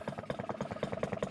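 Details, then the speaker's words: Fully restored 1954 Atco kick-start mower with a Villiers Midget two-stroke at low idle, with the idle screw set as low as it will go before cutting out: an even, slow, steady pop-pop of roughly ten firing beats a second. "because it's two-stroke you just worry about how low the item goes but that's about as loud as it'll go before it cuts out have a little listen to that pop pop"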